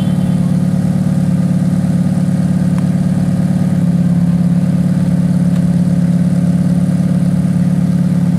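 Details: Ferrari F430 V8 cold start: about 2 seconds after start the exhaust makes a quick, uneven, fast rattling pulse over the deep steady drone at fast idle; cause unknown, also heard on an F430 with Tubi exhaust.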